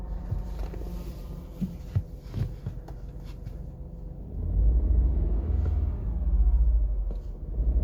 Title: 118i clutch noise when pedal pressed at 43,000 miles